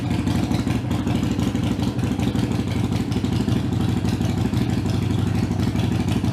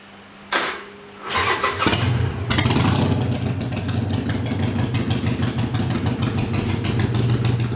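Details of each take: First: Harley-Davidson Iron 883 before booster tuning (meant to reduce heat and vibration): deep, even, lumpy V-twin idle at about three pulses a second, steady loudness, no knocks or misses; running smooth. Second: Harley-Davidson Iron 883 before booster setting (to reduce running heat and vibration): starter cranks, engine catches with a blip, then settles into a lumpy, uneven V-twin idle; no clear fault stands out.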